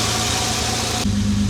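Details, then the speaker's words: Jaguar XJ6 after a head gasket replacement and camshaft retiming, warming up as the choke turns off. A steady, even idle with no stumble, smoother than ever; it usually misses slightly. Finding: normal idle. "All right. It's never been like this smooth at idle. Choke starting to turn off now. That's very, very smooth."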